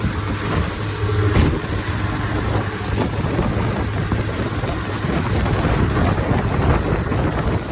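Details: 1957 Johnson 18 HP outboard after a mechanical restore, running on the water at about 20 mph: a steady low drone holds under heavy wind buffeting with no misses or surging, pulling healthily.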